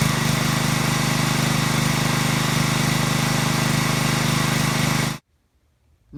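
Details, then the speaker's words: Pressure washer small engine after cleaning carburetor internal pilot jet to cure surging: even steady buzz at constant speed, no hunting or rpm swings, then shuts off. "and day, runs absolutely smooth, no surging, no hunting, no waffling, no RPMs going up and down. It runs nice and smooth."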